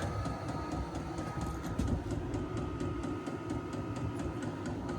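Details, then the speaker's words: VEVOR 8K diesel heater on its first test run in an enclosed tool trailer. It has just fired but is not blowing hot air yet; thumping and exhaust noise are accepted. Steady combustion rumble, thin whistle, fuel pump ticking about four times a second; normal ignition. "I'm using it in a tool trailer, and I don't care about that thumping sound, and I don't care about the sound of the exhaust. I don't want anything to slow that exhaust down. I want that heat getting out of that pipe as quick as possible. Sounds like it's fired."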